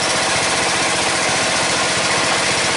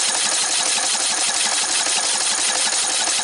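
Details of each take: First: Red lawn tractor, 14.5 Briggs & Stratton, after fuel line replacement, breather on: fast even single-cylinder putter holding steady idle, no misses or surging; running right after repair. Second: Red lawn tractor, 14.5 Briggs & Stratton, new fuel line partly fitted: fast even cranking just under three beats a second, no firing, no fuel flow; owner suspects the remaining line is collapsed.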